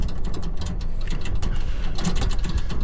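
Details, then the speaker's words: Utility cart driving slowly; loose metallic clatter in quick irregular bursts over the quiet drive, coming from the loose aluminum rear gate rattling. "Hear that clatter clatter. It's that aluminum gate in the back making that noise."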